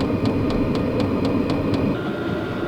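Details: New Vevor diesel heater on maximum setting, drawing about 20–26 W: crisp fuel-pump ticks about four per second over a steady fan rush, even and regular; pump ticking will slow at lower heat; running normally.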